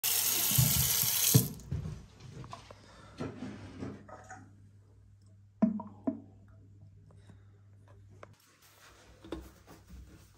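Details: Gurgling and popping sink drain as water runs, caused by air seeping through an existing partial clog that may trap further debris; can also stem from missing aeration, fixed by fitting an aerator.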